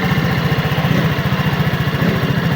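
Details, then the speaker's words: Rusi RFI175 scooter after CVT cleaning; the earlier CVT noise is gone. Steady, regular idle beat with no clicking or rattling from the transmission side: normal quiet idle. "Goods na. Tahimik na yung panggilid yung panggilid wala na yung ingay."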